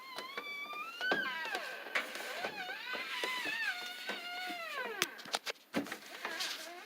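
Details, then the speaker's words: LG WT1501CW direct-drive washer, under two years old, not running: turning the drum slowly by hand gives wavering high squeals that rise and fall with each turn, louder with clothes loaded for weight; a rubbing drum squeak. "So when you turn the drum, hear the squeaking? Let's put some pressure on it. Whoops. I put some clothes in. I think the weight helps make the squeak."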